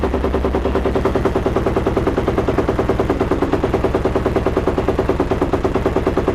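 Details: Yamaha YFZ 478 hybrid (WR450 engine) single-cylinder ATV, cold start with choke pulled: steady starter chugging about three a second, excessive cranking before it finally fires.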